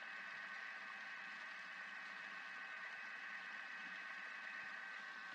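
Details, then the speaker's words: Thermomix churning fresh cream into butter at turned-up speed: steady even whirring with faint rattle, no surges or knocks; normal churning. "Can everyone actually hear it? Give me a thumbs up. Yep. You can hear it rattling."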